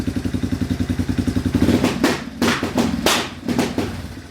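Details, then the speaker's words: Yamaha Wolverine ATV: even idle pulses, then short rev bursts cutting off sharply; faulty rear brake switch engages rev limiter, runs when switch pushed in; owner plans to bypass by splicing wires or keeping it depressed. "pretty aggravating when you're trying to go somewheres but if you push that in it works"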